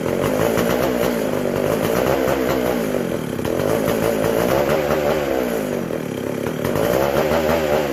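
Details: McCulloch SP125 chainsaw: revs waver and hunt without settling, lean and fuel-starved; carb not drawing fuel or pulsating, gas cap sealed off with venting in doubt; a large carb-to-intake gap was later found.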